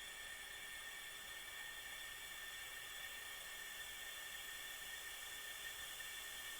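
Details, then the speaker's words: Caterpillar C15 air-to-air aftercooler plugged and pressurized to 30 psi: a steady airy hiss with faint whistling as air escapes through many holes and pressure drops fast; leaking charge air cooler needing replacement. "okay here we go kids we're gonna go to 30 psi and then I'll let you listen to all the hissing if you can't hear it already"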